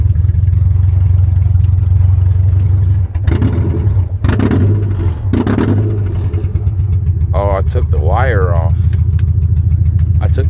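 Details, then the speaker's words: 1996-2000 Honda Prelude just revived from no-crank, no-start: rough, uneven low rumble with lumpy pulses because one spark plug wire was left off, leaving a dead cylinder misfire. "I was wondering why it was sounding like that."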